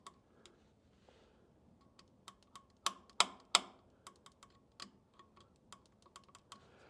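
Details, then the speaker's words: Farmall Super M tractor that hasn't been started in a while, ignition on, engine not running: faint thin snapping clicks, about three a second and uneven, in a quiet setting; spark present but weak, cause unconfirmed, battery voltage to be checked. "looks like a pretty weak spark I will check let me get my meter"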